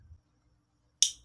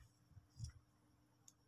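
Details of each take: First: Motorcycle starter relay (Supra 125/Vario) bench-tested with battery power applied: one sharp, crisp click, meaning it still works; normal starter relay click. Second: Second motorcycle starter relay (Supra 125/Vario) bench-tested with battery power: several sharp, light clicks a fraction of a second apart, but it won't pass battery voltage to the starter motor, contact plate possibly stuck or burnt; relay clicks without engaging.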